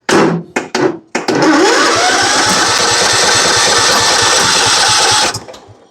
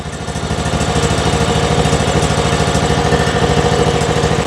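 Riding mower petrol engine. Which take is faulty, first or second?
first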